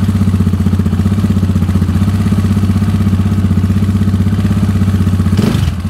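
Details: KTM 690 SMR single with newly fitted Akrapovic exhausts; it ran rough before with the latest KTM map. Deep, even thump at idle, about four beats a second, then a quick blip. Runs clean and healthy.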